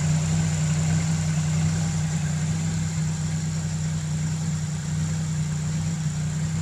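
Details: Fiero with L67 engine: fast, uneven idle with steady low drone and slight stumble in the pulses; misfire and high idle.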